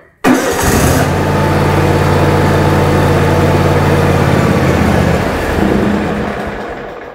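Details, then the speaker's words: 2006 John Deere X320 riding mower, about 1500 hours, bought not running: catches and idles steadily a few seconds, then sags and dies. Owner suspects an electrical fault, likely the electronic control module under the dash. Engine stalls after starting. "i really have a inkling here that this is going to be an electrical issue and i think i have a good idea of what it's going to be but we're going to go ahead and test it out here see if we can get this thing going definitely an electrical issue"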